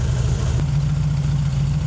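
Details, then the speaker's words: 1968 VW Fastback with dual carbs, after adjusting the volume control screws: smooth, steady low putter with even firing, but the idle sits slightly high; main idle screws to be turned down, otherwise running well. "I think a tiny bit high. I can adjust that. You know, that's your main idle screws that are down at the bottom there. So, they're a little high idle, so I'll probably adjust that down, but it's honestly running really good as is."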